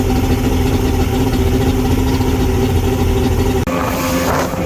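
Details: Mercury Saltwater Series 150 two-stroke outboard, first start of the season after fixing a cracked carb hose that caused bogging between 2000 and 3200 rpm: settles into a steady, even two-stroke burble with a clean, consistent idle; normal idle.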